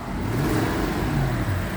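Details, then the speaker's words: 2002 Toyota Sequoia V8 revving with a rough, raspy exhaust edge like a leak; owner suspects the common age-related cracked exhaust manifold rather than a true exhaust leak. "It's a little raspy sound, and my research on these cars is that at a certain age, there tends to be a crack in the exhaust manifolds, and it sounds as if you've got an exhaust leak."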